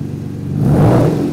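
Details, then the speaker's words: Ford Capri 2.9 Cosworth twin turbo, first start on a new full stainless exhaust built from scratch, recorded with an external microphone: deep, smooth rumble swelling with a quick throttle blip and settling back cleanly; healthy engine. "so in that last bit of video you saw the car start up for the first time this new exhaust on um i'm sure you'll understand that it just doesn't sound as good on the video as it does in real life"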